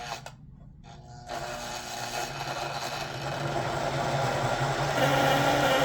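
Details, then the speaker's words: 1958 (owner thinks) Lionel 2383 Santa Fe F3AA locomotive, reassembled with the horn installed and the bottom plate held by hand because of a missing screw: after handling clatter, a low, buzzy, raspy drone builds louder. The horn works but still needs tuning. "I think it still needs some tuning, but you know, it makes noise."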